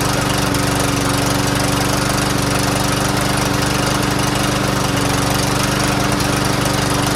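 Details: Troy-Bilt TB110 push mower after a carburetor clean, running on good gas with no fuel obstructions: a steady, even putter at constant speed with no sputtering or surging. It runs healthy.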